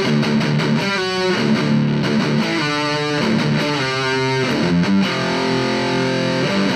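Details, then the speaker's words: After fix on a JCraft LTX Drive distortion pedal: heavily distorted guitar chords at gain above 12 o'clock ring cleanly, the earlier feedback whistle at high gain now gone. "Pero kanina nag-feedback or nag-whistle pag naka-high gain na. So check natin ngayon. Wala na yung whistling sound."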